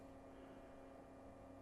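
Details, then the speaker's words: 1947 Philco 47-1230 radio phonograph at about 100 V during a gradual first power-up. Soft, steady speaker hum, slightly louder than before, with no buzz or crackle; it is ordinary tube hum, not power-supply hum. "I got a little louder speaker hum that's good but not like not like power supply time just the normal everyday garden-variety tube hum"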